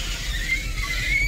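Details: 2000 Chevrolet Tahoe Z71 power window: a high, thin squeal slides upward in pitch as the glass travels and stops when it stops; the window seals were noted as dry; cause suspected, not confirmed.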